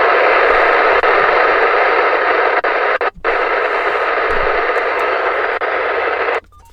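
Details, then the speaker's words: Uniden analog-only scanner: a steady loud hiss with only brief dropouts and no voice getting through. The digital, encrypted signals can't be decoded and come out as noise. "Because in public safety, there's a lot of 800 megahertz frequencies, which this can't do anything with because it's only analog, and a lot of that stuff is digital and encrypted, so it just comes out as just noise."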